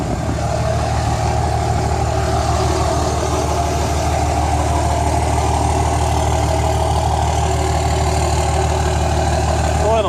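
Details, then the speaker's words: Single cab Cummins diesel just after a new tune was flashed, starting much easier: steady, deep diesel clatter at idle with even rhythm, no misses, knocks or whine; healthy idle. "It's running. Definitely started a lot easier. So the tune definitely took."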